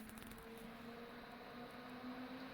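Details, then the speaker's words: 2006 Mac Pro (2x 2.66GHz Xeon, GT 640) with fans set to max through SMC Fan Control. Steady airy rush with a thin whine; the machine gets loud, fans running flat out, nothing abnormal. "This machine gets loud. Let me put it on max."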